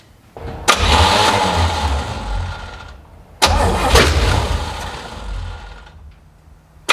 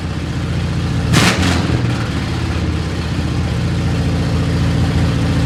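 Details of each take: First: 1970 Chevy C10 parked 10 years, new rubber fuel lines and filter, carb primed: two cranking bursts catch and fire a couple of seconds then die; float bowls not yet filled with fuel. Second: 1970 Chevy C10 revived after sitting 10 years, carburetor mixture screws and idle adjusted: carbureted V8 idles on its own with a steady low rumble and even beat, no knocks, misses or hiss; normal idle.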